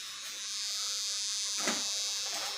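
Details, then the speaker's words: Yamaha R15 V3 that arrived pushed although it was not broken down: the fuel pump gives a constant high-pitched electric buzz and never stops, even with the ignition off and the key removed. "berdengung padahal posisi kontak Ini off bahkan tidak ada kontaknya ya ini selalu berdengung terus dan tidak mati-mati"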